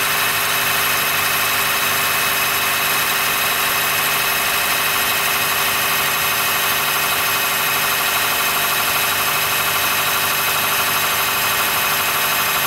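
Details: 2013 Honda Fit Hybrid (FIT3, DAA-GP5, L Package) cold-start squeal below about 10°C that fades after driving; steady high-pitched squeal and creak over an even, unchanging idle. Dealer found no error warnings, judged it harmless; source unknown.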